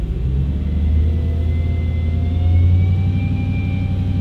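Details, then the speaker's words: Audi B7 RS4 with exhaust flap delete, cold start after sitting; deep lumpy idle with faint thin tone that appears then stops abruptly, as if electronically controlled; intermittent cold-start noise, cause unknown. "see it goes right away there as if it's like something electronic that's controlling it which is kind of odd"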